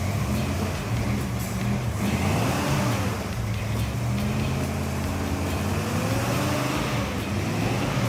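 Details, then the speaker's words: 1973 El Camino with a freshly rebuilt 454 big-block and a big lumpy "thumper" cam, after a new ballast resistor was fitted: a deep, lumpy V8 idle with a steady rhythm, no misses, knocks or exhaust leaks. Normal idle. "it sounds nasty with that Thumper cam the exhaust sounds pretty good too and no [Music] leaks"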